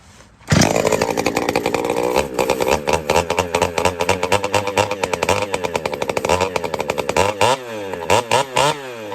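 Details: Pioneer P-41 chainsaw with big-bore kit, newly running after retiming: fires and revs in uneven blips with a slightly blubbery, burbling note between them; mixture set a touch rich.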